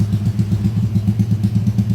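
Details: Engine rebuilt under warranty after failure (crankcase repaired), left idling: steady, even idle with a low, regular pulsing thump and no knocks or rattles. Tight but healthy.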